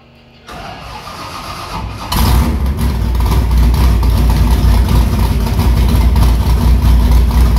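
Brief cranking, then the V8 fires at two seconds and settles into a deep, steady rumbling idle; healthy start.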